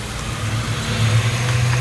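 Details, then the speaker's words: Hyundai Tucson at idle, clutch pedal pressed: steady low engine hum with a faint whirring joining as the pedal goes down; bearing noise began about three to four days earlier, clutch release bearing noise. "ou gente tá aqui com uma Tucson chegou aí com barulho de rolamento cliente ainda tava preocupado"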